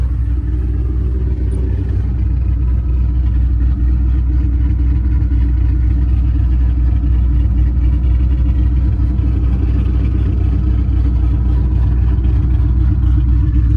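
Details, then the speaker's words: Mustang 3-valve V8 just after cam install on both sides: deep, even idle a touch faster than stock with a lumpy cam lope and no knocks; idle slightly high. "Still idling a little bit high, but still, it's already where it's at, you know."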